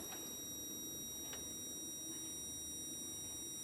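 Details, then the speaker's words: Monitor used with an Amiga 1200, at power-on: a faint, steady high-pitched squeal from high current bypassing the flyback transformer's primary coil; faulty flyback. "hear that that's a high current and it's bypassing the primary coil of the flyback flyback it adds current to the tube"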